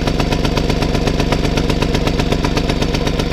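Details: 1965 Vélosolex 3300 two-stroke running, before being stopped via decompressor: crisp even four-per-second firing with light buzzy exhaust, no misses or knocks; running sweetly.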